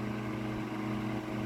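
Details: Mid-late 1950s GE Standard strap fan, 12-inch oscillating desk fan F14S125, blade on a rubber grommet, on high with no oscillation: steady low motor hum and airy whoosh, no rattle or ticking; normal running.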